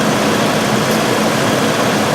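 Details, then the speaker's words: 1997 Mercury Grand Marquis 4.6L before repair, idling, tailpipe rattling: a steady idle with a faint irregular stumble. The skip is worse at about 40 mph, there is no check-engine light, and long-term fuel trims read 14 and 18. "So I got a skip, and it's kind of annoying. It's not too bad here, but going down the road about 40 miles an hour, it's pretty profound."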